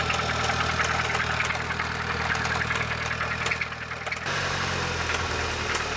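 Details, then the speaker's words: Audi A3 hatchback bought at auction as a non-runner, about 197,580 km, unstarted for roughly two months: rough idle with an uneven rattling knock that shifts partway through; owner suspects a blown engine, oil pump or turbo. "the call girl sounds like she's running on nuts and bolts this is going to be an adventure did you hear that she doesn't sound happy I have a feeling that it might be a blown engine"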